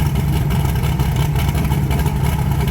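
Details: 1980 Trans Am with turbocharged Gen 1 small-block Chevy V8 (blow-through carburetor), after new valve seals: deep, even rumble holding steady with no misses, rattles or ticking. Earlier heavy exhaust smoke is gone, slight smoke only at first start. Healthy.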